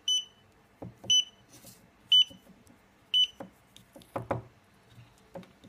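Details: Xiaomi Yi action camera after a failed firmware upgrade: a high, clean beep repeats about once a second without stopping until the battery dies; the camera is bricked and won't start.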